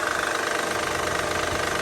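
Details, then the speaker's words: Honda Pilot, J35 3.5 V6, 207K miles on original timing belt, idling; light quick even ticking knock, not a squeak, rattle or rod knock, from rear bank (bank 2); failing cam found on inspection: valvetrain knock from worn camshaft lobes. "It's like mildly knocking type sound. It's not really a squeak or a rattle. It's a little bit more of a knock, but definitely not anything like a rod knock."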